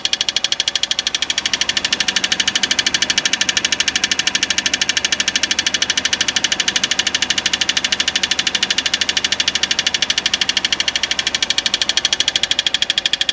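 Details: 2005 Peugeot 206cc at quiet idle: sharp, even metallic ticking about three times a second; tightening torque converter bolts did not change it, cause not found.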